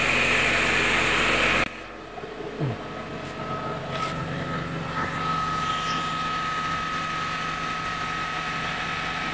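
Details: Mitsubishi Grandis test start after repairing an automatic transmission fluid leak from a cracked torque converter turbine; steady, even petrol idle with a faint whine, running smoothly with no knocks.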